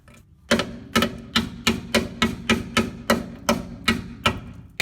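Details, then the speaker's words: 1985 Toyota pickup 4WD frame rust hammer test on the crossmember: steady taps about twice a second, ringing rather than solid; thin rust-weakened crossmember, which unbolts for easy replacement. "here we go that sounded then and it was this whole cross member is getting a little ugly but the good news is that it unbolts so that's an easy fix"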